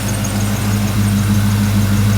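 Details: 1995 Ford Mustang GT 5.0 V8 after new Motorcraft platinum plugs, wires, idler and tensioner pulleys; idles smoothly with steady even low rumble, no misfire; normal idle.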